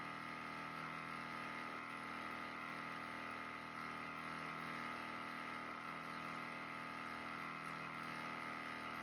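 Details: Natufia water tank drain pump emptying the tank for cleaning, level starting around 78%; steady even hum with a constant whirring tone, no knocks or surging; normal drain pump operation.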